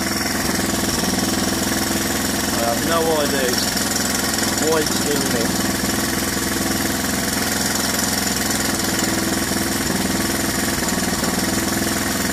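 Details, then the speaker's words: 1981 Honda XL125S with 7,000 miles, idling: a light, quick ticking at about three per second rides over a steady idle. A rattle on the top end, possibly the frozen cam chain adjuster, suspected, not confirmed; low compression also noted. "yeah so we've gotta sort out this rattle on the top end but it's 7 000 mile on it"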